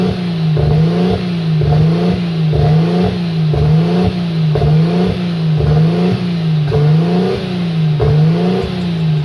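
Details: Nissan RB25 Neo with a high idle problem, during propane testing: idle rises and falls about once a second; propane changed nothing, so an air leak seems unlikely and owner suspects a sensor issue; not confirmed.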